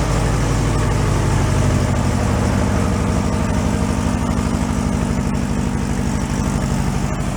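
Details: 1968 VW Beetle air-cooled engine, sat 5 years and still on old gas, at idle: steady, even low putter with no knocking or tapping; oil pressure good.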